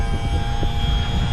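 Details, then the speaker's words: Boat outboard tilt and trim motor running just after being freed, previously stuck; steady low electric hum, even throughout, no straining or grinding. Tilt and trim now fixed and working normally. "Oh, I got it. Holy crap. Check that out. I think we just fixed the uh tilt and trim."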